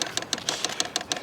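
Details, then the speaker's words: Vevor diesel heater in a van in winter: the fuel pump priming gives crisp, even ticking at about six clicks a second with a bright metallic click, priming normally. "You can hear it. You hear the pump going."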